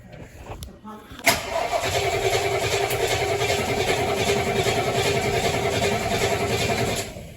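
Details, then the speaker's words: 1973 Mustang after a 1G-to-3G alternator conversion, throttle pumped before cranking: strong, even cranking at about three and a half beats a second for six seconds, never catches. Battery gives good amperage but the engine won't start. "Okay, so the engine cranks over great. The battery is really kicking off some good amperage."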